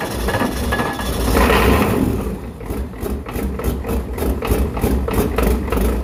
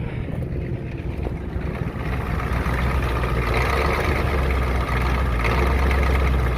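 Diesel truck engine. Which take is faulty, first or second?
second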